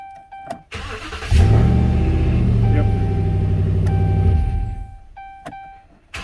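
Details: 2010 Dodge Ram 4.7 after starter replacement: short strong crank, engine fires and settles into steady idle with music over it; starts cleanly.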